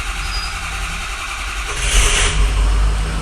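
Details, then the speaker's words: Turbo diesel truck after finding and unplugging a corroded, shorted connector plug (no boost expected yet): starter whirr, then it catches readily and settles into a steady low diesel clatter at idle, slight popping from the intake. "fires up pretty freaking good like that honestly"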